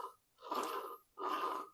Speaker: it's bad if you move this and you see a little bit of play in this shaft just the hair then you can feel it that means that's bad that means the bearing is internally is destroyed